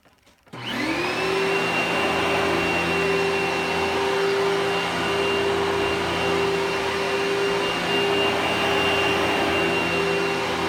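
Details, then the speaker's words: Simplicity 6570 upright vacuum with large motor: spins up quickly to a steady, even whine at one pitch, no rattle or surging; much more pleasant sounding motor; normal running. "so this is a much more pleasant sounding motor"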